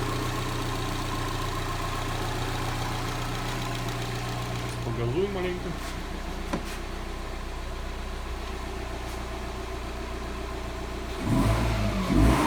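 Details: Subaru boxer engine after rebuild fixing a knock traced to a broken piston (suspected from overheating), replaced with used piston and rings; check-engine light still on: even, steady idle, quick revs climb and settle cleanly, no knock.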